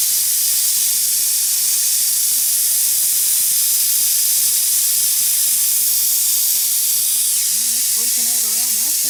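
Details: Plasma cutter: steady high-pitched hiss with no rhythm or low end, constant throughout; air escaping from the supply line, possibly a tiny hole or broken solder joint in the soldered copper airline. Not confirmed.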